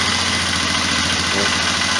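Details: Polaris Sportsman 500 ATV, carburetor already cleaned, choke closing: fast, slightly uneven putter with busy exhaust rasp at idle; rough running, owner suspects carburetor and plans slide carb swap.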